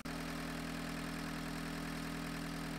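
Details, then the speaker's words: 1985 Volkswagen 1.6L diesel running well over an hour that day: steady, even idle with firm regular clatter and constant low hum, no misses or knocks; normal idle. "overall the engine's been running for well over an hour today and it sounds really good"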